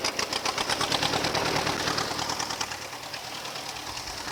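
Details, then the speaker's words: Old Ford tractor restarted after sitting over ten years, clutch disc stuck to flywheel: starts easily, quick even firing about nine or ten beats a second, no knocks or misses; normal running. "you what it starts up pretty easy"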